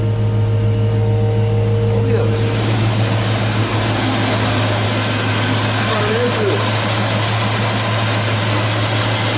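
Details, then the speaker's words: Chevrolet Caprice idling just after shop installed a new wiring harness, with new alternator; even, steady idle running a little low, charging now 14 volts instead of the previous 18 volts that was killing the battery; normal idle. "Damn, it's even idle and a little low too. That's all right"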